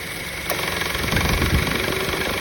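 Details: 2013 Honda Civic idling with a busy, uneven rattle over the low drone that never settles into a clean hum; the noise persists after the belt and belt tensioner were replaced. Engine rattle at idle.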